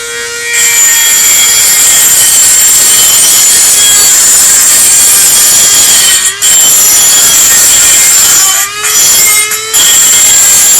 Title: Dremel makes loud noise